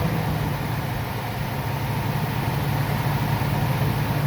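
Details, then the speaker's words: Ford E350 V10 motorhome after replacing the serpentine belt and Gates automatic tensioner to cure a recurring belt squeal. Low, steady idle with even beat and no squeal or chirp; belt tracking correctly. "i start it up i always like to look and see if everything's running good everything everything is tracking exactly as it should let's give it a rev"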